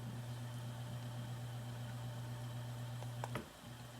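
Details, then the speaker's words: Hunter Echo Bluff 51089 ceiling fan at medium speed, fan controller and receiver reinstalled: a steady low electrical motor hum under the running noise; the hum was also present without the controller, loudest on high. "there is some hum on high can you hear that it's a little bit less on medium there's still some noise on low again High"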